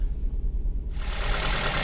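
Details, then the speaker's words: 2004 Ford Focus petrol idling low and lumpy, vibrating, with a stumbling misfire; coil, plugs and leads look new, only P1000 stored; misfire traced to low compression in one cylinder. "okay i don't know if you can hear it or it picks up on camera but we're definitely sort of vibrating here not a happy car"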